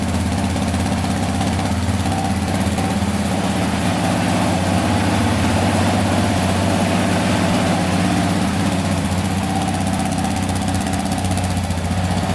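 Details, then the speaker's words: Stock Yamaha Raptor 700 special edition quad fires right up on its battery with no smoke and settles into a steady, even, smooth idle with no misses or knocks; sounds healthy. "Fired right up, baby. No smoke yet. That's good."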